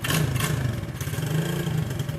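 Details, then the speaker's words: New Orion RXB 125cc semi-automatic pit bike, Chinese Honda-copy single, first-ever start, carb not yet adjusted: quiet even thumping with light throttle blip, no knocks; normal idle. "kick. Nice and quiet. It sounds good."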